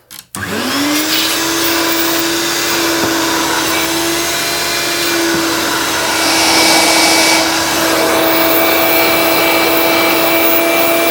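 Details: 1980s–90s Hoover Turbopower upright vacuum cleaner during a suction test: motor whirs up within half a second to a steady, even hum that holds its pitch; strong, healthy, normal running.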